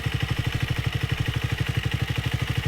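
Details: Speed 400 at 12k odometer, idling: steady idle with fast even metallic clatter on every firing pulse, suspected loose timing chain or worn stock tensioner, unconfirmed; tensioner and chain to be replaced.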